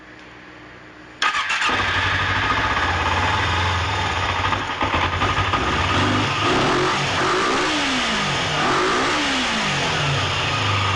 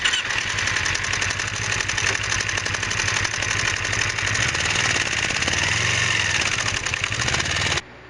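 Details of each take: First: 2006 Kawasaki Ninja 250R started in neutral, possibly on choke, after cleaning the cam chain tensioner. Its ticking had sounded like needing a valve adjustment, though the valves were fine and the cam chain was very loose. It now idles steadily with no ticking. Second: 2006 Kawasaki Ninja 250R idling with a fast, sharp metallic ticking over the exhaust, sounding like valves need adjusting; valves were fine, cam chain extremely loose because the cam chain tensioner wasn't engaging, fixed by cleaning the tensioner.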